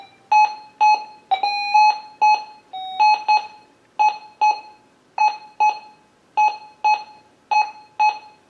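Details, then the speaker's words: Minelab Gold Monster 1000 metal detector in all-metal mode, tested indoors with gold passed over the coil: clean mid-pitch beeps about two per second with a few doubled tones. Gold target response. "That's just gold."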